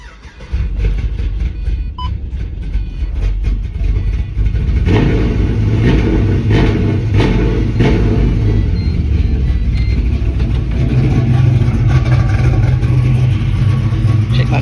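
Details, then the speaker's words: Pontiac GTO with a fuel pump problem, idle fuel pressure 50–55 psi: engine runs rough, and a throttle blip brings an uneven, sagging rumble instead of clean revs; owner suspects fuel pressure drops on throttle (unverified). "it idled pretty good but every time I tried to give it some gas uh it would get ready to die"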